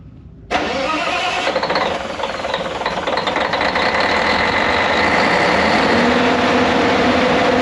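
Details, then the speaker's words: Caterpillar C15 700 hp diesel generator, first run in about 3 years, fuel primed after shipping empty: cranks briefly, fires and climbs to steady even diesel clatter; clean start, healthy running, later shut down by generator under-voltage protection. "So, I'm going to prime this guy. All right. So about to give it the at least my initial start up. See how it goes."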